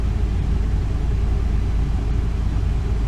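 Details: 2002 Ford E350 Econoline, 5.4 Triton V8, just over 100,000 miles, after new spark plugs and one coil pack for a misfire and P0351 code; deep, even low idle rumble with no stumble or skipped beats, now idling smoothly.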